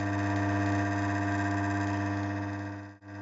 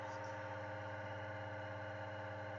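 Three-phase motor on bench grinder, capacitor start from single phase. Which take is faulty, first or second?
first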